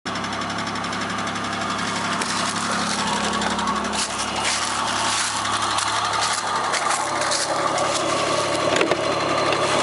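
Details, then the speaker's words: Opel X30XE V6 at idle with hard rhythmic knocking about four per second; owner suspects the hydraulic valve lifter on cylinder one. "Подозрение на компенсатор клапана первого циллинра"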